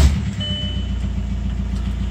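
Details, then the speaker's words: Audi allroad quattro with swapped 2.0 TDI diesel, first start after ECU flash and immobilizer clone: settles straight into even, steady idle with regular low chug, no knocks or misses; runs well. "there's one light on their bag and that's about it it runs well"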